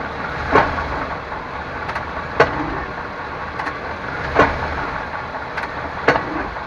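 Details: 1998 Chevrolet Suburban K1500, 5.7L, 4L60E, 177k miles, in 2WD, shifting park to drive and back at idle: a single solid clunk each shift; driveline slack, cause unknown, also sometimes clicks driving uphill.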